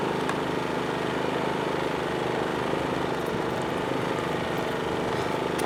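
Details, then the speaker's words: PowerSmart 2350W inverter generator carrying an 850-watt toaster load: steady, even engine drone, no misses or surging; normal running under load. "so that you can actually hear the generator ramp up so let's go plug this in and make some imaginary toast and see what the generator does"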